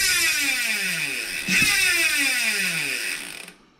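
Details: DT Swiss rear hub fitted with a cheap Chinese 60-tooth star ratchet upgrade, freshly greased, wheel coasting: fine, rapid buzz of crisp clicks that slows and fades; normal freewheel ratchet click.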